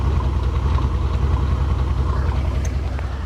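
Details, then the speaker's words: Mercedes SL600 R230 V12 with 100,000 miles at idle: deep rumble with an uneven stumbling beat, about two or three dips a second, an intermittent misfire with the check engine light flashing, which then stopped. "Ah, it's doing something new. It's misfiring."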